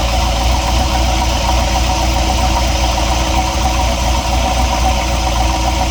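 Loud, steady idle with a dull knock repeating about three to four times a second under the engine drone; cause undetermined.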